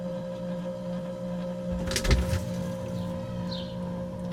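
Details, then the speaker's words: Outdoor fridge left unused all winter, plugged in, heard from inside the fridge: brief thump as the compressor kicks in, then an even low drone. Normal compressor start. "Definitely sounds like it started."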